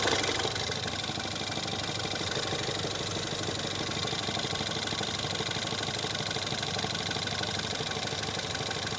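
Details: Ford Fiesta ST 180 EcoBoost, under warranty: petrol engine idles with a steady, dull deep knock about three times a second, same whether clutch pressed or not; Ford blames the release bearing, owner suspects bearing damage, unconfirmed.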